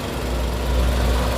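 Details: 2012 Nissan March 1.2 automatic petrol car, engine bay heard at idle: low, steady, even hum with no knocks or flutter; normal idle.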